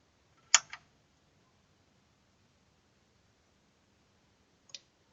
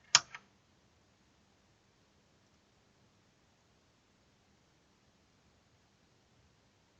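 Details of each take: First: Amfiton 002 amplifier that hummed at power-on: click at switch-on, about four seconds of quiet, then a second click as the protection relay engages normally. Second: Amfiton 002 amplifier at switch-on: after a click, loud steady low hum in the left channel, likely failed filter capacitors; loud mains hum.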